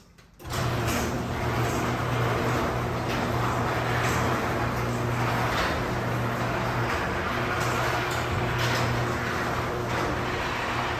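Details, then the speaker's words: Garage door opener after spraying lubricant on the rollers, which were squeaky before: it runs smoothly with a steady low hum and soft rolling, free of squeaks. Quiet operation after lubrication. "after a little spray here and a little spray there now it sounds like this"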